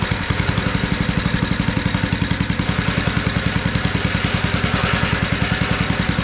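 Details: Abandoned tiller, first run on two-cycle gas while leaking fuel: fast, rough thudding at a steady speed with some clatter. It revs only on choke, which the owner reads as a clogged carburetor.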